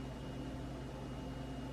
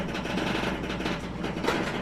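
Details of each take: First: Samsung range after door lock switch repair, on a self-clean test cycle: low, even hum with a faint steady tone, no clicks or buzzing, counting down and cleaning normally. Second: Samsung range in self-clean mode: rough, gritty grinding that pauses, then resumes as the door lock motor fails to lock the door; a small faulty lock switch was found and needs replacing.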